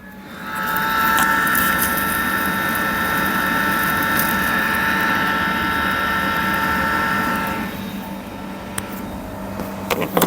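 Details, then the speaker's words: LG washer-dryer (2020 or later) in diagnostic test mode, during the heater and blower check. Steady, even blower whine at constant pitch that winds down cleanly, heat rising, with the heater, NTC and thermostat fine and no error; normal blower and heater operation. "now heater everything is perfect ther thermostat everything we can feel the heat here now it's already start here it's increasing uh heat that's mean everything perfect"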